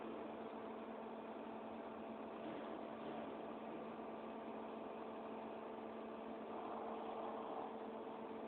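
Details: 2007 machine, No.1, spindle at 8000 rpm: steady high hum with a thin whine above it and no knocks; abnormally loud spindle sound at high speed.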